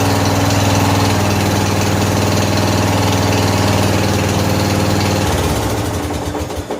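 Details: 14 HP Briggs & Stratton single-cylinder engine in a free Murray riding mower, carburetor flooding, oil smelling of gas, after start on choke: steady, even thump at fast idle, no misses or knocks, then winds down smoothly; runs healthy.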